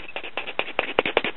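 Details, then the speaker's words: Circa 1960 Japanese-built Claricon AM tube radio during repair: music from its small original speaker has a raspy, buzzy edge rattling on louder beats, a rubbing voice coil; the speaker is to be replaced with one salvaged from a tape recorder. "this is not something going to be using all the time but when I use and I don't want to hear raspy sounds like this"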